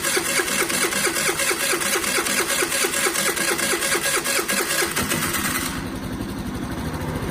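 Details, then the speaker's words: Generic Chinese carbureted scooter single after a carb clean: uneven, lumpy low idle with a shaky pulse about twice a second; running rough, idle on the low side. "It's kind of shaking all around. See, so once you do the carb cleaner, oh, this thing's rough."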